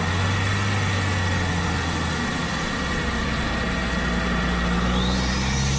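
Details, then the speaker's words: Audi A4 B7 Avant turbo, before GFB DV+ install: steady engine drone with a thin high flutter and hiss of escaping air; split OEM diverter valve leaking boost, car felt naturally aspirated with no low-end grunt. "kind of sounds like air escaping from the balloon a little flutter like when you hold the end of the ball and let all that air up here the high pitch that is just all the boost just out the door gone basically"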